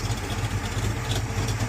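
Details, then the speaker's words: 1978 Chevy Monte Carlo after new oil pan gasket and kinked brake line fix; low, steady idle with an even pulse and no knocks or ticks; engine sounds good, no need to replace it. "Now I just got to clean it up and make it look a little bit more presentable. But it sounds good, so no sense in changing out the motor."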